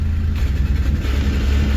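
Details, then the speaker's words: 1967 Mustang body-swap car just after cold start: deep uneven rumble with wavering beat and a loose exhaust rattle underneath; starts fine but runs a little rough when first started. "Starts perfect. does got a exhaust rattle and it's a little rough running when you first start it."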